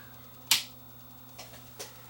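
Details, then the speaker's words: Hotronic AP41 NTSC time base corrector that won't start though the power light is on: sharp, uneven relay clicking over faint mains hum as the power supply keeps pulsing; power supply fault. "you can hear it it's still pulsing so it's still not starting you can hear it click click click click that's the relay over here clicking"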